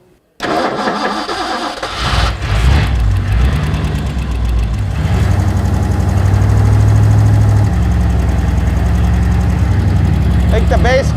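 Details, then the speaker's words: 1964 Ford Galaxie big-block V8 with carburetor: cranks, catches and runs lumpy and uneven, won't idle; vacuum leak at back of carburetor, found by flammable-liquid spray to be an intake vacuum hose plugged only with a bolt. "So, the flammable liquid test totally works. Engine wouldn't idle. Every time I sprayed the back corner of the carburetor, it would stay running."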